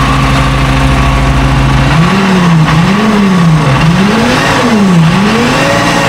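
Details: FV432 troop carrier diesel, long-sitting, being revived and running on real diesel: steady idle, then smooth repeated blips with pitch rising and falling cleanly with throttle; revs freely and evenly; normal running and revving.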